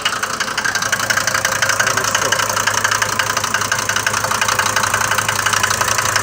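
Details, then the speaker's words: Mercedes diesel from Libya, cold morning idle: sharp, even clatter about three knocks a second, louder than the usual knock of these engines; owner bought it with the noise, cause unclear. "هو مشكله المحركات الديزل هذ المرسيدس فيهم الطقطقه هذه لكن مش بالصفه هذيه الموجوده ت عند خونا هذايا من ليبيا"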